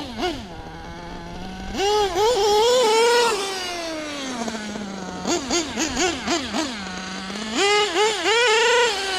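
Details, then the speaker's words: LST nitro RC truck with a rebuilt carburetor: small nitro engine screams in high, buzzy blips with a thin, hesitant idle between them; running super lean, at least on the bottom end; new carb planned. "You can tell she's just running super lean, at least on the bottom end."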